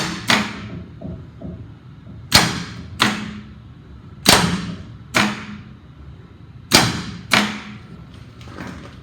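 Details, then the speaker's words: John Deere diesel on a used portable fire pump, gauge showing 37 hours, jump box connected, manual crank; six hard single starter clunks about a second apart with no cranking rhythm; starter kicks but engine seems stuck. "i could hear that starter kicking the starter kicks hard and it's really trying to turn that motor over but it seems like the motor is stuck"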